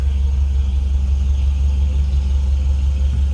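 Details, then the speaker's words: 1950 Mercury Monterey flathead V8. Deep, smooth, even rumble at a steady idle, about three pulses a second, with no ticks or misfires. Healthy idle. "Flatty starts right up. You hear that little rumble out of that Flatty"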